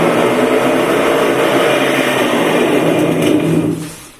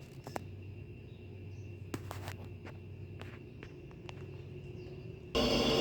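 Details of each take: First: Washing machine on spin with bad drum bearings before repair: loud coarse rumbling roar that holds steady then dies away as the drum slows; bearings, mechanism and seal to be replaced. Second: Washing machine after replacing the bearings, seal and spin mechanism: a quiet even hum, then a loud steady whoosh as the drum spins up. The earlier airplane-like roar is gone; smooth, healthy spin.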